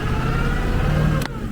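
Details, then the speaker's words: 1996 Ford F-350 crew cab 4x4 diesel, five-speed manual, after running out of fuel, bleeding air from the fuel system and fitting new batteries. Starts and runs with a steady, low, even rumble and a slight rev rise, a normal start. "and she started foreign well a few days delayed and a little bit of drama but now we get to take her on her maiden voyage"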